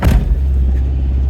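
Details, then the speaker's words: 1989 Honda CRX Si, 147,000 miles, no catalytic converter: cold start holds a fast, even idle of about 2,000 rpm with a steady drone and a slight belt squeak at startup, settling to about 1,000 rpm when warm. "idles at about $2 grand. When it warms up a little bit, it idles right around 1,000."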